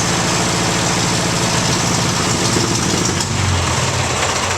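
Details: 1958 Ford 841 Powermaster tractor after the failed water pump causing a severe scraping rattle was replaced: engine runs steady and even at idle with a low drone and exhaust beat, no rattle left; normal running.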